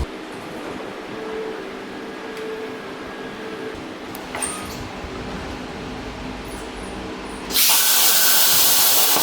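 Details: Hypertherm Powermax 45XP plasma cutter, over 5 years of daily use, after a new fan for error 3-10-0 cutouts after 10–15 minutes; fan at near full speed on a 33°C humid day: steady, even airflow, no rattle or tick, far better than the old fan.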